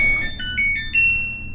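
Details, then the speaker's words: Samsung front-load dryer after heating element replacement, powered on for timed dry on medium heat: bright rising run of chime notes ending on a held tone. Normal power-on chime. "okay it does turn on and we're just going to try time dry we'll just try it on medium heat"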